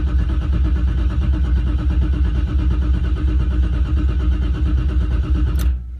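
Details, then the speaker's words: First start of the season, cranked with the fuel pump off until about 20 psi of oil pressure builds: steady low starter-motor churning at an even pace with no catch, then stops; normal dry crank to build oil pressure. "and then I just crank it a few times until I get about 20 pounds of oil pressure before I actually start my fuel pump."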